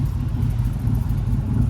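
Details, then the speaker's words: LQ9-swapped crew cab cateye truck, catless, at warm idle. A steady, low V8 rumble with a rough, puffing chuff at a slip-fit pipe joint held by a cheap U-bolt clamp: an exhaust leak. "So, you can kind of hear it does have a leak. You can hear it real bad right there."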